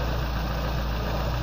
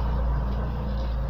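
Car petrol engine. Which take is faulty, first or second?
second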